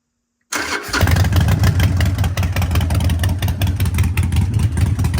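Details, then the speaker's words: Harley-Davidson Sportster 1200 with Vance & Hines exhaust and K&N air filter, after ECU reprogram/map transfer for a fueling and poor-running problem, no error codes: short crank, catches into a loud, lumpy, even V-twin beat with clean throttle blips; runs healthy. "Let's fire it up. I warn you, if you've not heard it before, it is noisy."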